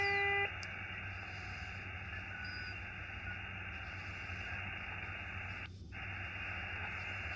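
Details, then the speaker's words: Xiegu X6100 ham radio receiver: a faint, steady whistle at a single pitch over the hiss without drifting, an internal birdie spur; the radio has many birdies and the RF gain is not fully up. "so this radio does have a lot of birdies but I think most of them aren't super bad"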